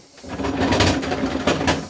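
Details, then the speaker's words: Atco Balmoral 14S cylinder lawn mower, side cover off: harsh gritty grinding with ratcheting bursts when pushed forward, none when pushed backwards; drive gear grinding, owner hopes a new part will fix it. "but when you go push it forwards you're getting this grinding noise happening"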